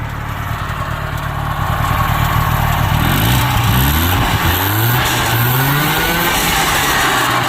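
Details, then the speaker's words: Subaru 360 two-stroke van, just mechanically restored, revving after its first test drive: raspy buzz climbs smoothly to an even high rev while still smoking as expected; a good runner, though some things still need fixing. "Oh, it makes me feel good. We got to fix some stuff, but she's a runner."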